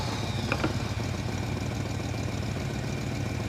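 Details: 1960 Chevrolet El Camino, started after new head gaskets, fuel lines, radiator and starter, warming up: steady, even low rumble, no knocks or misses; running cleanly, normal idle.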